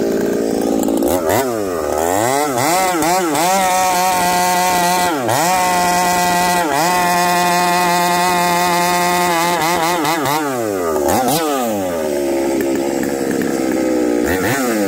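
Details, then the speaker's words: Chainsaw running a new bar and a newly spun Oregon chain, high-speed jet set from 3/4 to 5/8 turn: revs climb and fall, but at the top the pitch wavers and stumbles, still sounding rich; breaking up at high rpm, with a failing coil suspected. "and it still sounds Rich at 5H and still sounds like it's breaking up"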